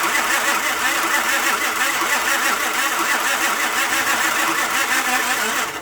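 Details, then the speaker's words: Honda car towed in, crank-no-start: starter cranks steadily about six seconds after starter fluid sprayed in intake, engine never fires or backfires; water-contaminated fuel found as cause. "Again, I sprayed ether in there, nothing. So I'm gonna do that while it's on camera, just to show that it don't work. I mean, it wouldn't even backfire."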